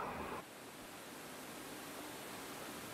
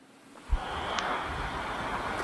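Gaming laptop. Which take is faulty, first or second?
second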